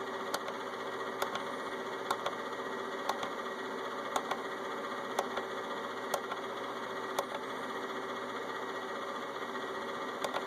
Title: Inverter only left fan on making noise